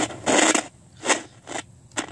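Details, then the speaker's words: General Electric 3-5151B cassette recorder playing: motor turns but no sound from the speaker, irregular bursts of scratchy crackle a fraction of a second each over a quiet background; dirty volume control needs cleaning. "yeah that power switch needs to be sprayed or i mean the volume switch dirty needs some wd-40 in here i hear the motor but i don't hear any sound in the coming from the speaker"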